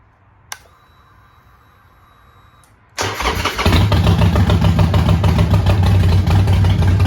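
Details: Neglected 2008 Harley-Davidson Sportster, primary fluid not changed: quiet, then the V-twin fires and settles into a strong even loping beat of about 200 pulses a minute; runs really good with some power.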